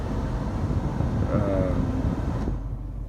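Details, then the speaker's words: Foton Tunland 4x4 double cab, 2.8 Cummins ISF diesel, blower resistor removed to simulate failure: nothing on speeds 1–3, huffing airflow only on speed 4, then sharp cutoff; blown blower motor resistor leaves only top speed. "Nothing is happening on 1, on 2, on 3, nothing, absolutely nothing. Then only on 4, you only hear that huffing sound, only on the last dial."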